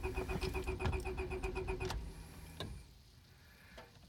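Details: Car that lost power while driving, battery light on since the failure; A/C belt found broken and wrapped on the power steering pulley: starter cranks in a quick even rhythm, about four beats a second, for two seconds, then stops without firing; cause unknown.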